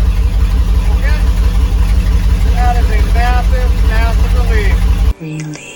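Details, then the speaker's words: 2004 Chevy box truck V8 after a $69 repair, now firing on a cylinder that wasn't firing before: deep, even rumble with a steady firing beat and no stumble or miss, then shut off; massive improvement, sounds healthier. "oh yeah bassive Improvement [Music] that sounds a bit [Music] [Music] healthier"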